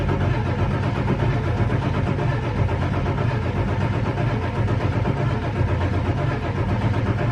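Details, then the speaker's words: 1999 Ford F350 7.3 Powerstroke before the oil pump replacement, about 52°F, two healthy batteries, wait-to-start light out. Steady slow cranking for seconds without catching while the oil pressure gauge reads zero; a failed oil pump, not glow plugs, causes the hard start. "Okay, so I was cranking it pretty good, and that oil pressure gauge is doing 0. Like nothing."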